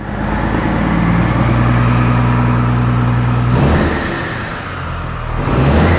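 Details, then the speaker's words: Peterbilt truck diesel after turbo failure, before intercooler cleaning or replacement: steady, even idle clatter with firm low rumble that dips and recovers slightly; good oil pressure, engine sounds healthy. "Okay, it sounds good. It has good oil pressure, so that's actually a pretty big relief."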